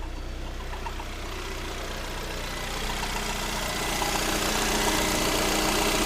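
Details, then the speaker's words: Lada Granta 126 engine after full overhaul (bored block, new bearings, 82.5 repair pistons, new timing kit and valves): hissing scrape building louder at steady running; tensioner pulley rubbing the crank pulley, gone after loosening the alternator belt. "Так. О, скрежет ушел. Получается, натяжной ролик задевал шкив коленвала."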